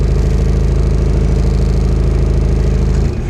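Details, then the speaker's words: Diesel car previously run on vegetable oil, just started after sitting a while, air conditioning on. Heavy, low clatter with an uneven beat near 200 per minute, labouring under AC load; owner also says the alternator is bad. Rough running. "goes air conditioning is on so the engine's not going to run very"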